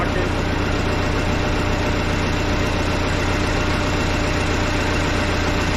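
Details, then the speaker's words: Case 188D diesel tractor engine idling at first fire-up after a 54-week rebuild, injector pump just refitted, throttle worked by hand; even clatter about two and a half firing beats a second, no misses or knocks; normal idle. "oh my gosh welcome sound inside that is nice and quiet"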